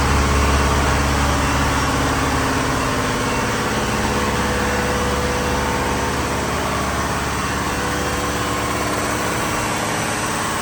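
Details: Diesel fire pump engine on its weekly half-hour test, isolation valve closed so it runs at churn, with a loud, steady drone, even firing beat and no knock or surge; running normally.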